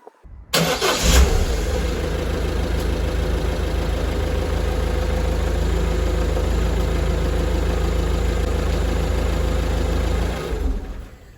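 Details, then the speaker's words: Car during pre-winter checks, before the battery is deliberately drained: a brisk crank that fires straight away and settles to a smooth, steady idle; a strong, normal start on a healthy battery. "so you can hear that that started very strong"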